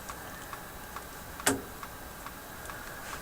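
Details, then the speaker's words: General Electric KL-70 AM/SW tube radio with its push-button unit unplugged: faint steady ticks about twice a second from the speaker over hiss, plus one louder click; the unplugged push-button piece is suspected as the cause. "need it there's a ticking sound coming out of the radio no it's coming out of the speaker oh that's because i've got that uh piece unplugged last time i had the push button piece unplugged the radio did this clicking thing"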